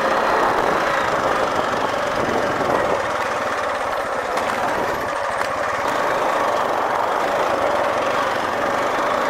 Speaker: y'all hear them valves rattling they need to be adjusted i'm gonna have to get that took care of